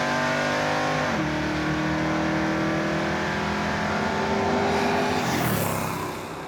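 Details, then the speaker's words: Roadkill General Mayhem Charger at the drag strip, launched from shallow stall: engine screams up in first, then pitch flattens and holds at a ceiling like a limiter, but it's hydraulic roller lifters floating the valves at high rpm; still ran 12.38 at 111. "I don't even know what you did because I heard it bounce off the rev limiter in first, and I'm like, well, this won't go better. It's way better. That's not rev limiter, that's hydraulic roller lifters floating."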